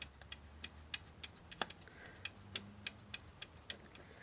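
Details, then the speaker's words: 2013 Jeep Grand Cherokee WK2, 3.6L V6 Pentastar, cylinder head off: sharp dry clicks about three a second as a loose rocker arm is rocked by hand; its roller bearing has failed, causing the engine's ticking. "that's the ticking noise"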